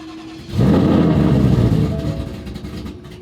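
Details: Roush, morning cold start, attempt two: a single crank catches in half a second and fires into a loud high idle that slowly settles; took several tries to start.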